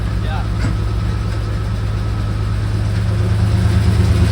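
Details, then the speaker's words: 1985 Nissan 300ZX (Z31) manual after fixing exhaust leak with new catalytic converter gaskets and gutting the cat: low, even, really quiet idle, no ticking or puffing; normal idle, exhaust sealed. "so we're going to hear what it sounds like here we go go see how she runs a it's really quiet it's really quiet really quiet"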